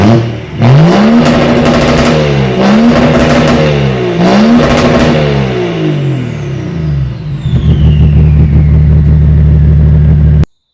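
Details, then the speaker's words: BMW M57D30 diesel from an E46 330d swapped into an E36 compact with a lightweight custom exhaust: starts, revs up and down cleanly, then settles into a smooth, steady idle with no knocks or misses. "Right. So that's it in done and running. uh starts on the key, drives, stops, everything works."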